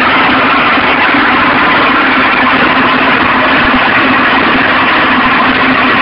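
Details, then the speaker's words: Stels Arrow scooter two-stroke after heat seizure, scored piston replaced with Malossi: fast, buzzy idle with hard tapping; knock remains, crankshaft and bearings judged fine, cause unclear. "Вот если вот так коленвал чуть-чуть шатать вверх-вниз, то такой звук."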